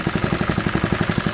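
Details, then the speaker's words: 1968 Briggs and Stratton 2.25 hp single, first fire after decades of sitting, bolted to a table; quick, even putt-putt at about nine beats a second, steady with no misses; idles smoothly on its own. "She's idling on her own. Yeah, this thing is a sweetheart."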